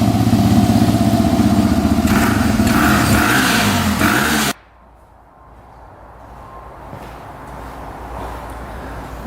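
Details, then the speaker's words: 2005 Yamaha TTR250 single-cylinder dirt bike, long-sitting non-runner, after replacing a too-long carburetor needle that blocked fuel: revs cleanly and evenly for a few seconds then cuts off, no ticking or misses, no carb leaks; normal running. "really good no leaking from the carburetor so I think we're all set sounds great no ticking"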